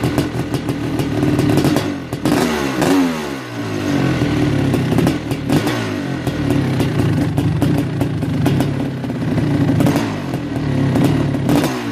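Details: Kawasaki KX500 two-stroke, first start after top-end rebuild (new Wossner piston, power valves, gaskets): loud, crisp idle with throttle blips, picks up cleanly and settles evenly, no knocking or rattles; engine sounds healthy.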